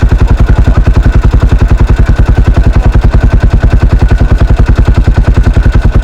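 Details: 1983 Husqvarna 510TC four-stroke single, recently rebuilt after fire damage: strong, even low thumping at about three and a half beats a second, firing steadily with no knocks; normal running.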